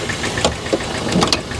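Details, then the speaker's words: Old salvage car idling under the hood: uneven, lumpy idle with irregular knocks and stumbles, worse than a comparable 70,000-mile example. Possible misfire; suspected spark plug, needs a tune-up. Rough idle. "mine had 70 000 miles on it and it sounded way better than this this this this sounds it could just be a spark plug yeah it just needs a tune-up"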